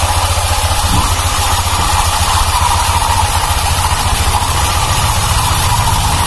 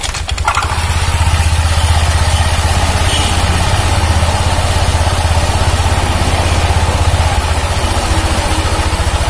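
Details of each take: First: 2019 Honda Vario 150 scooter, fairly new: steady idle with uneven gravelly churn from the CVT belt drive, also noisy when pushed; loose rear CVT pulley clutch, its clip worn loose. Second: 2019 Honda Vario 150 after CVT clutch-side repair for rough growling noise: idling with steady low beat, only a faint rattle left from the drive; much smoother than before, though a little noise remains.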